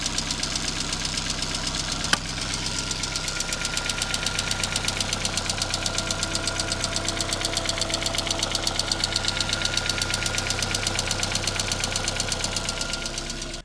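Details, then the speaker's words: Ford Fiesta MK1 Zetec project, original scrapyard engine that arrived incomplete: sharp, even ticking about three per second over a steady idle, present since purchase; owner suspects ticking valves, unconfirmed; engine later replaced. "So it's been making that horrible, horrible ticking noise ever since I really bought it. I have a feeling I know what the problem is, and that is the valves that are ticking."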